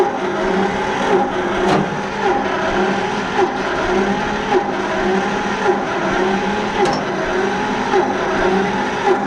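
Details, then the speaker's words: John Deere 70 tractor, engine recently unstuck and long unstarted: throttle fully back, choked, slow labouring cranking about one beat a second, no firing, won't start. Owner suspects possibly no fuel getting through. "No good, folks, no good. So you got to see her turning over."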